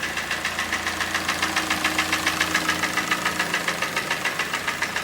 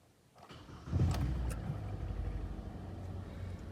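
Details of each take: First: Kia Sportage QL, G4NA engine, 97,000 km, strong knock appeared in winter: sharp even hollow metallic knocks about 3.5 per second at idle; piston slap from scored cylinder, block bored 0.5 mm oversize. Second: Kia Sportage QL G4NA engine, 97,000 km, after block bored 0.5 mm for a heavy knock that appeared in winter: first start after rebuild, settles into a quiet, smooth, even idle with no knocking and no errors. Normal idle.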